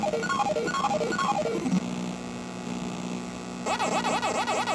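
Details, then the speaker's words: Super Pac-Man arcade PCB after replacing the 74LS257 chip at 3F: a few seconds of game tune, then a steady low mains-type hum underneath; owner unsure whether the amp or that chip is at fault. "guess this sounds like crap actually [Music] hmm I don't know if it's the amp or that chip or something's making that sound terrible but at least the coin up is working"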